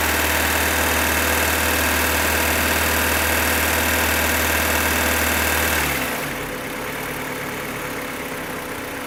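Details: 2015 Opel Astra H Z16XEP petrol engine at idle: sharp, regular top-end tick about four per second that stops at shutoff; vanishes when cylinders 3 and 4 are cut, tappets replaced without change, non-original camshafts suspected; source unknown.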